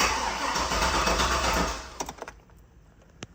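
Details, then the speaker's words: Turbo 6-litre truck, first start attempt on a 3-bar speed-density tune, possibly very rich: starter spins the engine about 160 rpm for almost two seconds without firing; cranks but no start, fuel pressure and tune suspected, not confirmed. "Doesn't sound very happy. Let me get some gas pedal going here. It doesn't seem to be trying anything."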